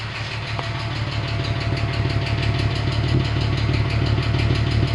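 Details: VW Passat Variant 35i VR6 after long standstill: uneven, lumpy idle with light irregular ticking, engine not running smoothly and occasionally near stalling; owner suspects hydraulic lifters, cause unconfirmed.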